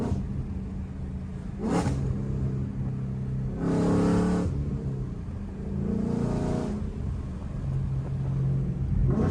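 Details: 2015 Mustang GT V8 after installing Stainless Works long-tube headers with Solo performance exhaust, not yet tuned, doing pulls; deep, loud rumble swelling smoothly through repeated pulls and easing back, no misfires or rattles; healthy acceleration.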